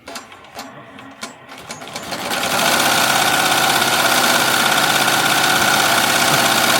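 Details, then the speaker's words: Melco Summit embroidery machine stitching a jacket logo, being raised from 850 to 1,000 stitches per minute: a few isolated clicks, then it spins up into a fast, even stitching chatter with steady rhythm; healthy. "So, like I said, we are running currently at 850. I'm going to crank it up a little bit. We're going to run it at 1,000 now."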